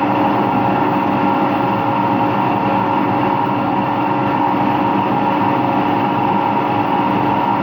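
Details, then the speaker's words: Empty washing machine on a fast rinse and spin with no clothes: a loud steady roar with a droning hum. No leak was seen, and the owner suspects both the motor bearing and the drum bearing. "I actually think it's both bearings. I think it's both the motor bearing and the drum bearing that makes noise."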